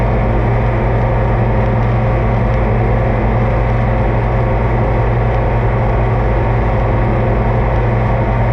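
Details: Oliver 2255 front-wheel-assist tractor on a test run after an oil service of engine, transfer case, front axle, rear end and hydraulics: a deep, even diesel drone with a steady low rumble and no knocks or misses. Normal diesel running; owner says everything done is fine.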